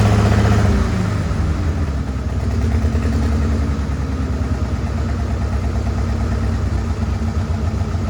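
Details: Farmall H tractor at a deep, lumpy idle with an uneven, loping beat and skipped firing pulses, missing on one or more cylinders. Carb not flooded and timing found not out; cause not confirmed.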